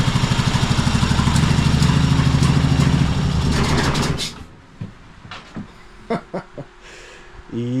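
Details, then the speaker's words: Cub Cadet Super LT1554, 27 hp Kohler V-twin, 500+ hours, oil-covered, intermittent spark, as acquired: lumpy, uneven chuffing at about three pulses a second for four seconds, then stops with only clicks; rough running, owner suspects one dead cylinder. "sounds pretty rough. Um fired right up though, but I'm pretty sure it's just running on one cylinder."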